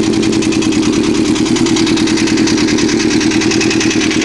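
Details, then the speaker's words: 1987 Honda CBR 600 Hurricane with Vance & Hines exhaust, running: fast, uneven ticking stays loud over the engine, louder on one side; owner unsure whether it is the cam chain tensioner or valves. "fire it up i don't know what that rapid noise is i don't know if it's my cam tensioner or any uh valve job either"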